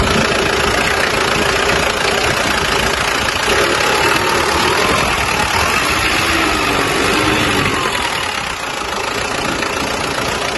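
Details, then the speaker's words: Mazda BT-50 diesel after turbo repair and grounding the vacuum solenoid valve directly to the body to fix a weak negative: steady, even idle clatter, no misses or surging, no longer stalling; normal idle. "Dan syukurlah, mesinnya tidak mati lagi. Ini juga berjalan dengan lancar."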